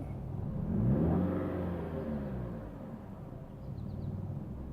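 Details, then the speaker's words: Dodge Caliber that wouldn't start or run, now fixed: engine catches and revs up cleanly, rising then settling back smoothly with no misses or knocks; runs healthy. "Dodge Caliber runs yep it runs as you can hear"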